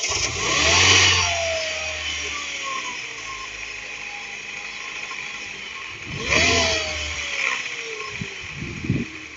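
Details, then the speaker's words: 2009 Mini R56 JCW N14 engine after VANOS solenoid replacement, chilly day, starting on the third try: catches cleanly, revs and settles with a very slight rattle typical of these engines; normal start and rev. "Good. Everything seems happy, which is good. We have engines running happily. They all sound tiny tiny tiny bit ratly these engines just the way they are."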